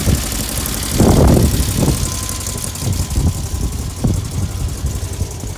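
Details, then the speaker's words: 1970 VW Bug air-cooled flat-four idling after electronic distributor swap; low steady putter with a few uneven swells, no knocking; running good, normal idle. "Seems to be working good. Bug seems to be running good."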